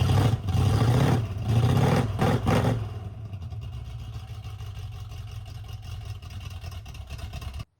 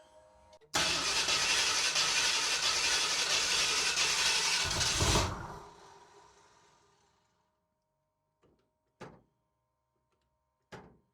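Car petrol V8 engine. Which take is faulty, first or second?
second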